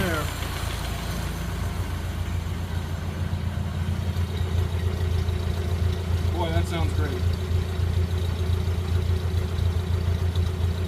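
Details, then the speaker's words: Early 1928 Ford Model A Tudor sedan after installing a new Aries muffler and exhaust: low, even exhaust rumble at a steady idle, no puffing or ticking leaks, noticeably improved sound. "Definite difference. Let me put it down to a little more idle. What a difference. That sounds wonderful."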